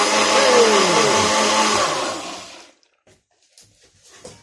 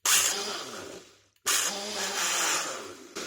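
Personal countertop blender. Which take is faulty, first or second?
second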